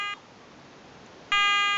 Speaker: just scanning all the available frequencies and it's going to pick the quietest one this goes on for 30 seconds